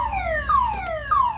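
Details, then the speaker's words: 2007 Ford Focus towed in with a no-start: a loud downward-sweeping siren restarts about every 0.6 seconds and keeps going with the key off and through lock and unlock; the faulty aftermarket alarm is preventing starting, and the fix is to disconnect it. "So what you need to do, or what happened, is this car have aftermarket alarm in it. That the one that's preventing the car from starting."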